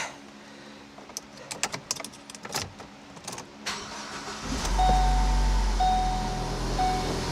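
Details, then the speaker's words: 2012 Ford Focus SEL 2.0 started after repairing the exhaust leak, where nuts were missing from the studs and the gasket was hanging out: smooth steady drone with no ticking or puffing. Exhaust is sealed and now comes out the back. "Much better. Actual exhaust coming out of the back."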